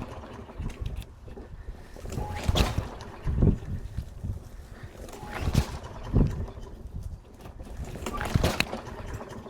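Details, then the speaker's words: Walk-behind lawn mower just out of winter storage, fresh gas added and primed: repeated cord pulls with brief sputters that never settle, trying to start; hard starting blamed on a fuel problem. "Alright, so it took a little while, but it seems like it's trying to start."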